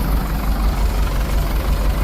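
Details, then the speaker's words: 1982 Porsche 924 Turbo after rebuild, post test drive: lumpy low idle with an uneven chuff and a dropping beat; spark plug three was unplugged, so running on three cylinders. "also that whole test run um spark plug number three was unplugged so I was running on three cyli"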